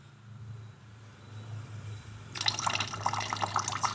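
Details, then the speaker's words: Aluminium composite cold-water pipe with press fittings being filled for pressure test, air bled at the high point: air rush, then irregular spitting and dripping from a fitting not yet pressed; unpressed fittings leak by design, revealing them. "Und jetzt seht ihr hier ist es undicht, hier tropft es jetzt. Und jetzt tropft das, weil die im unverpressten Zustand undicht sind."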